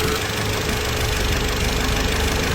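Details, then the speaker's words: Car engine under load climbing a hill or accelerating: steady drone with faint crisp metallic ticking (ka-ka/da-da) on top; light engine detonation (spark knock), long unnoticed by owner, heard best driving past a wall with windows open. "车子很多很小的异响，其实影响也不大，但是有一种影响是很大的哈，也就比较难发现的，就是发动机轻微的爆震。当你上坡用力的时候，会出现比较清脆的金属敲击声，咔咔或者哒哒的声音。"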